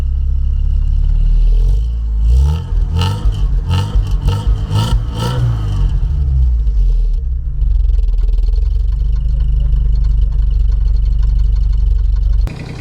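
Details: Porsche 944 started after about 20 years sitting in a hedge, on a very hot day: heavy irregular clattering and banging as it catches and revs, then a rough steady run. Something is really unhappy, cause unconfirmed.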